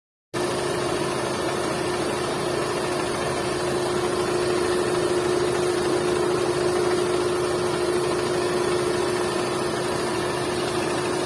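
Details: Hyundai Santro 1.1 L: steady idle with a constant mid-pitched whine over an even engine hum. Abnormal engine noise, cause unclear.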